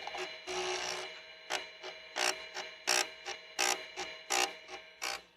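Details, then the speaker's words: Compaq Deskpro B floppy drive exercised, disk out: quick buzzy stepping chatter bursts a bit over one a second with quiet gaps; normal head seeking, slightly noisier than the A drive. "that's the head seeking we're gonna exercise the B Drive a little bit this is how the B Drive sounds"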